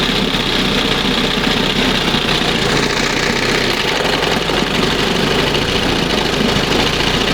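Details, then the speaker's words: 1971 Johnson 20 hp two-stroke outboard after carburetor mixture and idle stop screw adjustment, throttle at first mark: even, steady burble at low idle with no stumbling or sneezing; normal idle. "Not bad. Wow. That's the best right there. Sounds much better. And it's down here, you know, it's idling."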